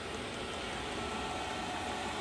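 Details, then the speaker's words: Chinese diesel heater (Webasto clone) with Afterburner controller, mocked up in the shop for a burn-off run: even, steady fan rush with a soft whirr and audible pump ticking, no rattles, starting to ramp up; running normally. "you can kind of hear what this thing sounds like you know the pumps ticking there"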